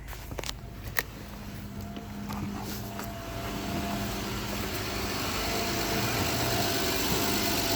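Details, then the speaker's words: 2013 Honda Odyssey after a misfire fix and valve adjustment (most valves were found very loose): it starts right up into a steady, even, smooth idle with no misses or ticking and no engine lights: normal idle. "start right up running smooth run smooth no engine lights no nothing"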